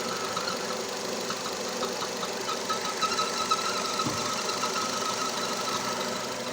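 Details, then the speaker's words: Nissan Terrano (Renault Duster platform), 47,000 km, idling: thin high squeak pulsing about twice a second, first suspected at flywheel or release bearing; actually the PCV crankcase ventilation valve, silenced when dipstick pulled, then returns. "Вы знаете, в чём причина? Вот этот клапан. Выхлопные газы из картера."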